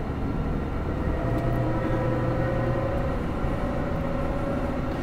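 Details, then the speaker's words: Dodge truck on a road test, driving on the gas: faint steady whine over heavy road rumble, heard constantly but worse under acceleration; rear differential pinion bearing suspected, possibly ring and pinion damage. "I don't know where he he says it's got a a wine under load under acceleration I don't know if you guys can hear that I can hear it all the time it's worse under acceleration yeah he's definitely got problems I would say he's got a bearing down"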